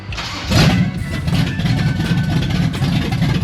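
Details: Blueprint 540 big-block Chevy with Holley 870 Street Avenger carb and open headers, second start attempt while setting 14° initial timing. It catches quickly with no gas pedal and settles into a deep, steady, even idle; sounds healthy.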